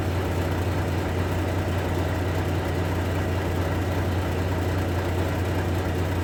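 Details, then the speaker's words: Volvo truck after air dryer leak repair, started up at idle: even, steady low diesel beat with no hiss of escaping air; air system healthy, pressure building toward green. "Air out ஆகணும். ஆயிடுச்சுன்னா நம்ம பார்த்த வேலை ஓகேன்னு அர்த்தம். அதே மாதிரி பச்சைக்கு ஃபுல்லாக போகணும்."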